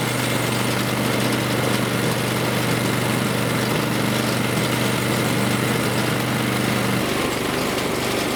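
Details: Snowblower after an improvised repair to a part so the wheels would turn: steady, even small-engine drone with a low hum underneath, no knocks or misses; runs smoothly.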